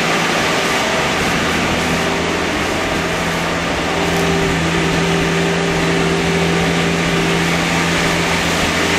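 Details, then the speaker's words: Warming AMC Eagle engine, worn, with a newly fitted carburetor. It holds a fast, steady idle with an even drone that never drops back; the owner attributes it to the choke staying on, possibly an electric choke installed backwards, and suspects a vacuum leak. "um the fast idle was due to the choke you got the choke open you know"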